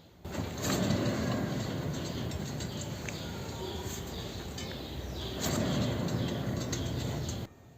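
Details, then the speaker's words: Kia Sportage petrol, left wheel bearing turned by hand during steering knuckle teardown (customer complaint): gritty dry rumble with faint squeaks, typical sound of a worn wheel bearing; inner tie rods (axiales) also being replaced. "en el del lado izquierdo tenemos un inconveniente al momento de girarlo se escucha claramente el sonido típico de un rodamiento en mal estado"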